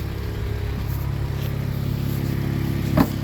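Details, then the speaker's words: Used Honda petrol engine idling, hood open, during a pre-purchase inspection: light, faint ticking over the low hum, lifter tapping from valve lash that needs adjusting. "again you're going to hear the tapping noise but that's every Honda the tapping noise is for the lifters and they have to get adjusted"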